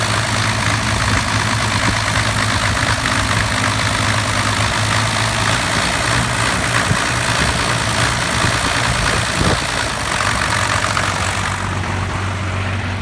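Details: 1993 Cummins diesel truck, deep idle with uneven loping beat and stumbles, lacking power; owner suspects lift pump, injection pump or overflow restriction screw, not confirmed; fuel treatment helped earlier.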